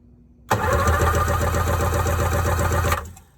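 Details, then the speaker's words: 1994 Sea-Doo SPX, sitting since 1996, spark plugs removed for compression test: starter spins the engine at an even beat of about four strokes a second for over two seconds; turns over fine, healthy cranking compression. "looks like it's turning over fine let's hook the compression checker up"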